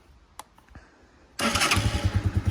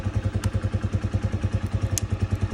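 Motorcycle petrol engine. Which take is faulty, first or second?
second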